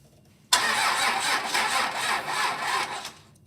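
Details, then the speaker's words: Roadkill Ramp Truck diesel, sat 3 years, new battery reading 12.1 volts, starter bypassed with a pigtail, injectors cracked open to bleed air. Sluggish, uneven cranking at about four compression beats a second, turning over really slow and never firing. "Right now, I'm cracking open all the injectors to try and help get some of the air out. Uh, that it's turning over really slow."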